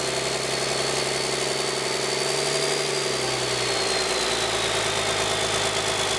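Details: 1997 Cummins 5.9 12-valve P7100 P-pump diesel, 960,000 km, cold start at half throttle after bleeding injector lines: rough, uneven clatter with a faint wandering whistle as the tired engine just catches after a hard start.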